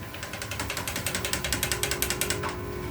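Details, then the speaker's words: Peavey Raptor Twin 2 electric guitar with no string fitted: quick, fairly even clicking as the tuning peg is turned. The peg pin is loose and rattles without string tension. "Not that we hear a little click up here because you had the loose pin because there's no string, and you'll probably hear it."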